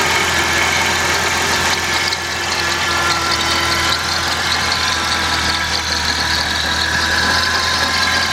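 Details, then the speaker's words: 1996 Dodge Intrepid after coolant pipe replacement, with an intermittent no-start that the customer suspects is the starter. Engine idles steadily with a thin high-pitched whine on top and lots of hiss. The alternator is suspected and the AC belt looks loose; the cause is not confirmed. "Looking pretty good. Alternator kind of whining."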